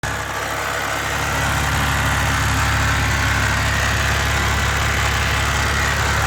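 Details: 2006 BMW Z4 Coupe 3.0si, N52 engine, at idle: persistent rhythmic tapping over the engine hum. Heard only at idle and gone when revved; source unknown.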